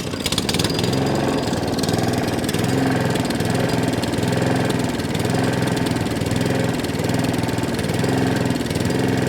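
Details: Allett Kensington mower with Kawasaki FJ100 petrol engine, started on pull cord: revs swell and sag every couple of seconds with a slight miss, governor arm moving; hunting and surging from a dirty carburettor, fuel delivery problem.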